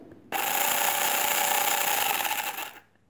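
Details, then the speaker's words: Ares/Star SA80 airsoft gearbox, partly assembled with new gear after failure, motor test via micro switch: steady high buzzing whir about 2.5 seconds then clean stop; cycles normally, though shims still need sorting. "Obviously it needs tightening up and the shims need sorting again, but that works."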